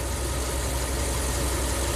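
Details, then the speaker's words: Ram camper van with a stalling problem after hot soak, engine almost fully warmed up, IAC at about 20 counts: smooth, even low idle with no misfire or hunting; fixed. "this one's a lot worse in terms of drivability you get up to it'll takes five minutes to relearn but um yeah I mean I know this truck is fixed because look"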